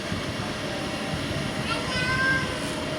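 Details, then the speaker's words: RTX 2080 Ti graphics card with three fans: faint steady whir with thin high whine from the middle fan, which stops when it is held; worn middle fan bearing, one end fan not spinning at all. "이 소음이 어디서 나냐면 그래픽카드 때문에 나는 건데, 제가 보여드리면 지금 여기 이렇게 그래픽카드 도는 게 3개가 있잖아요. 근데 이게 가운데서 나는 거예요."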